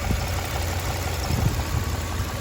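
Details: 1998 Toyota 4Runner that had misfires on cylinders 1 and 4, idling after the injectors were replaced. Low, fairly steady idle rumble with only slight unevenness and no clear miss: normal idle.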